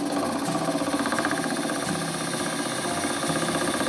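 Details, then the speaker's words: Lathe turning a seven-colour epoxy resin shaving brush handle blank: fast, uneven chatter at about three beats per second as the tool catches the high spot each turn; blank slightly out of round. "So as you can hear there, it's a little, the blank's just a little bit out of round. That's all right, it'll be round by the time we're finished."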